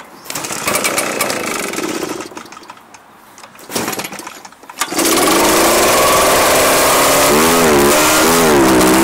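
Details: Echo PB-755ST two-stroke backpack blower, just refilled with fresh two-stroke mix plus a capful of Seafoam after dark green stale fuel. It catches into a steady buzz, but the pitch still wavers. It runs better yet still needs the carburetor adjusted.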